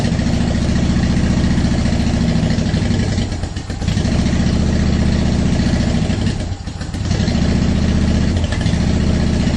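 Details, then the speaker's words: 2010 Honda Shadow Phantom, first start after cleaning the fuel tank and fuel pump and refilling with ethanol-free fuel plus additive: catches and runs unevenly with two sags, lumpy and hesitant; owner suspects air in the fuel system and it still needs to warm up. "just getting all i mean there's going to be air in the system and everything now is much better oh yeah our power's back well i thought it was i guess we just let it warm up"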